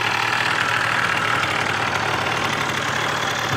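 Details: Heavily modified 2011 96cc two-stroke scooter, kick-started (electric start disabled), fires first kick with a little gas and settles into a fast, buzzy, even idle with no knocks or misses; healthy engine.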